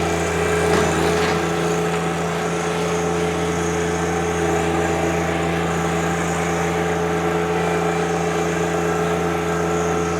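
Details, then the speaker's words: 2020 John Deere 1025R diesel sub-compact tractor, 63 hours, range in high: the front auxiliary hydraulics audibly pull the engine down into a steady even drone with no knocks or misses. Normal operation. "Now, one thing I'll do, it does have, again, the auxiliary hydraulics, and you can hear it hold the motor down. That is the auxiliary hydraulics out front, all operating the way they're supposed"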